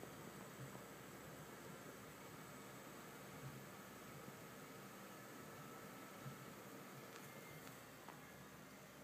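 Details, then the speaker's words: Asus DirectCU II Top GTX 670 under Heaven benchmark load at 1080p, case fans turned down: soft even fan hiss, essentially silent with a tiny bit of coil whine, normal. "As you can see, it is completely silent. There is an absolutely tiny bit of coil whine, but nothing compared to my GTX 580."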